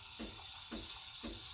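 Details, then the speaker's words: Breville Barista Express BES870 steam wand stretching milk, tip held near the surface while the milk spins in a vortex: a steady airy hiss with soft surges about every half second, showing air is being drawn in properly. "want to hear that hissing noise that means you're injecting in which is good"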